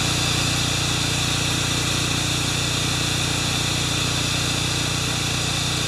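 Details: Makita G2400R generator with a non-OEM carb running a saw: loud, steady engine drone under a constant high saw whine, holding speed evenly; saw draws about 13 A when triggered and 5.7 A running without load; healthy.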